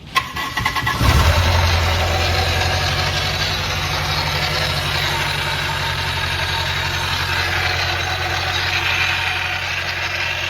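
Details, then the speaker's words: Toyota KE30 Corolla, first start after fuel system install: engine settles to steady idle with fast uneven slapping chatter from an overlong accessory belt flapping; quieter once belt removed: loose accessory belt flapping. "also got to get another belt you're going to probably see that in the video flapping around making noise that belt's actually too long"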